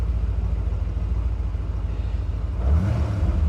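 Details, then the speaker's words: Restored Porsche 928GT V8, started with previous owner's wooden block still on accelerator pedal, about 3,000 miles since purchase: deep, even idle burble then clean pitch rise on a light blip; smooth, healthy running. "Start it up. Oh, isn't that a wonderful noise? That bring back memories."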